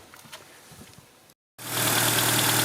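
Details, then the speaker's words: 1997 Renault Twingo 1 started with the accessory belt removed to isolate an abnormal noise: steady, even idle with no whine, proving the noise comes from the alternator; battery light on since nothing charges. "Donc là, on peut entendre que ça fait un bruit normal."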